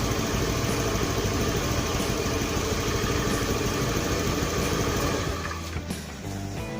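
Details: Honda Beat FI scooter that bogged and lost power on throttle, after an ECU reset: steady, smooth idle with an even beat and no stumbling, dropping away as it shuts off; runs normally, with the fault traced to the TPS sensor.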